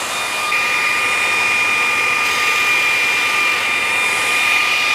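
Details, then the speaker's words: Vevor belt grinder after modification from 2"x82" to 2"x72" belt; smooth steady high-pitched whir, even tone, no rhythmic slapping, much quieter than the old 82" belt's flopping; belt tracking and running normally. "there was a lot of flopping going on in that belt and you can hear it this is running a lot more smoother A lot quieter"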